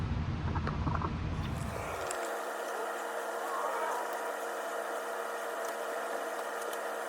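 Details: Splendide stackable dryer after replacing the broken motor and refitting the belt: after handling noise, a steady, even hum with no knocks or scraping, running smoothly.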